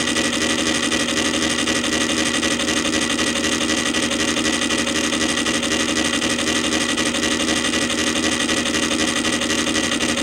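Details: Columbia Graphophone AH spring motor after service, run without a record; fossilized powdered grease that had caused clanging springs was cleaned out; smooth constant hum with a light hiss, no knocks or clangs: normal running.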